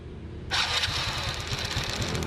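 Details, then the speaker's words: Motorbike being fixed for hard starting; after a spark check showing a strong blue spark, the plug is refitted and the engine fires first try, settling into quick even put-put firing with no misses; healthy start. "Lổ ngon lành cành đào luôn anh em nhá."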